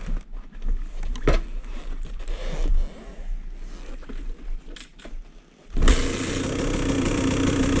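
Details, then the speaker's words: 2017 KTM 150 XCW two-stroke with Lectron carb, after flooding and finding no head gasket bubbles in coolant: quiet ticking, then engine catches about six seconds in and settles into steady crackling run; clean, easy start. "That's how it should start. This is tall. Nice and dusty. Seems to run fine so far."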